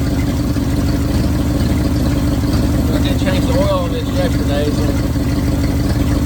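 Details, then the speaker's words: 1971 Ford bumpside wrecker truck V8 idling just after a fuel pump change, with an uneven, stumbling beat and dropped pulses that come and go; missing on a cylinder, not missing the day before. "while we're missing now we weren't missing yesterday"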